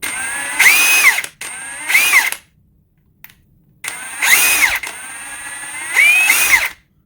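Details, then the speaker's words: Ridgid high-torque cordless impact wrench run while speeds are changed: short high whirring bursts surge and sag instead of holding speed; trigger feels sloppy and choppy, possibly a fault in this unit, unconfirmed. "that's weird that's a weird trigger it's just like it's like very i'm sure you can hear it in the video it's just choppy like"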